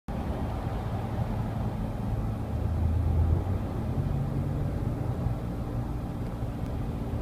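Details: 2013 Nissan Pathfinder gives a low steady humming, buzzing drone under road noise while cruising, swelling slightly midway; it began recently after the first 35k with no noise, and the owner asks if it is normal.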